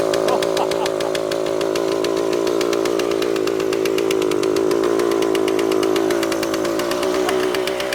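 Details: Suzuki TS400 Apache two-stroke, sat outside for years, first start with carburetor untouched after two kicks: screams at steady high revs, never settling to idle. Runaway, shut down before it got out of control; air leak suspected, to be checked.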